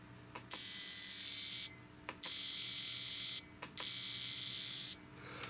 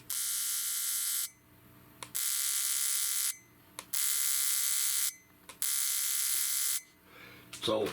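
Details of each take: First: 2004 Chevy 2500HD misfire repair, cheap Amazon aftermarket fuel injectors pulsed on the bench, off the engine: three harsh, high-pitched one-second buzzing bursts with quiet gaps between them. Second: 2004 Chevy 2500HD misfire diagnosis: the original GM fuel injector from cylinder seven is pulsed, giving even second-long bursts of high buzzing with short pauses; the injector works properly.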